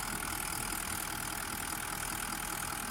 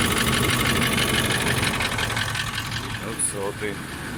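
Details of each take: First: Toyota Land Cruiser 200 1VD-FTV diesel V8 at warm idle after a full rebuild for a foreign knock (piston or bushings suspected), assembled and going through injector coding: an even, quiet, regular clatter with no odd knocks or ticks from either side, all working fine. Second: Toyota 1VD-FTV diesel (200-series) idling: steady knock about three per second over the clatter; oil-cooling jets found in the oil pickup after pan removal, so the fault is pistons or bushings; engine pulled for rebuild.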